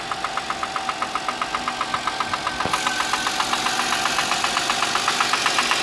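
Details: Audi A6 C6, cold morning start: a sharp, even ticking knock about four times a second over the cold idle. This is an engine knock at cold idle, source not determined.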